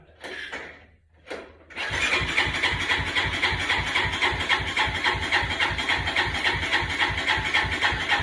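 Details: 2003 Honda Recon 250 ATV, sitting for many years: a couple of short tries, then a steady starter chug about four times a second with no firing; the no-start came from a faulty neutral switch signal to the CDI.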